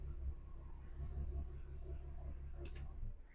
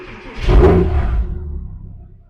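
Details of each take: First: Porsche Cayman S with cylinder 3 misfire (P0303) and engine management light: low idle rumble with uneven lumpy pulses missing the beat, sounding worse than before; dead cylinder misfire, here from a cracked ignition coil. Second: Porsche Cayman S after a cylinder 3 misfire (P0303) repair: new coil fitted, faults cleared. Clean start and short rev with no jitter or misfire, and a possible exhaust shield rattle.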